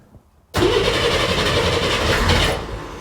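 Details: Flooded Corvair on new custom fuel injection, first fire-up: engine catches abruptly, runs rough and uneven for two seconds, then sags and fades; too much startup fuel, fixed by reducing startup fuel and warm-up taper.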